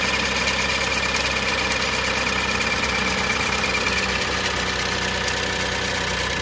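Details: 2005 (H17) Daihatsu Atrai Wagon Custom Turbo R S320G, 170,000+ km: sharp steady ticking chuff keeping time with idle; noise fades once fully warm, returns after restart. Exhaust manifold leak from broken manifold bolt, cured by repair.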